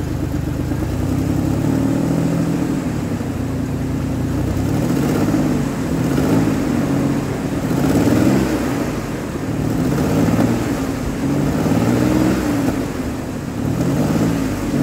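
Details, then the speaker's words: 2003 Ford Explorer after replacing a misfiring cylinder's coil with a spare: engine revs up and settles evenly without stumbling, running smoother; normal running. "it's running smoother than it was and once I once I put some pressure on it goes right out I like it so right"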